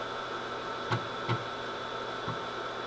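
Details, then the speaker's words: 8-inch floppy drive from an HP 9895, single-sided disk, connected to a PC via adapter: steady motor hum with soft irregular head-step clicks as it reads, 26 sectors per track; reading normally. "it's working fine at this point we got it working in reading"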